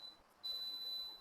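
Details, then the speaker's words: Daikin inverter air conditioner, indoor unit: remote-controller error check with the cancel button held, short high beeps then one long steady beep confirming error code A6, an indoor fan motor fault. Hall sensor and fan motor UVW windings (90–100 ohm) checked next. "Beep like that. This means the error code is A6. A6 as we discussed is the indoor code."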